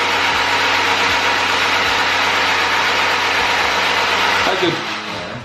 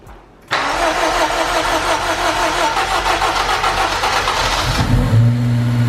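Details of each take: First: Honda Civic Type R four-cylinder, sat on a farm over a year: steady even starter cranking near three beats a second, no skipped strokes; engine turns over cleanly with good compression. Normal cranking. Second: Honda Civic Type R, sat on a farm for over a year: it catches after a short crank and runs harsh, uneven and raspy from the exhaust, smoking and smelling of fuel; rough running after storage, cause unconfirmed.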